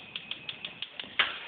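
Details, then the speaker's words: DCS gas stove, model RGS-305SS-L: igniter keeps clicking in sharp, even ticks about six a second after the burner lights; cause was the faulty blue spark re-igniter module on the front, replaced with a new one. "so it lights and you can actually hear the clicking okay so let me turn this off"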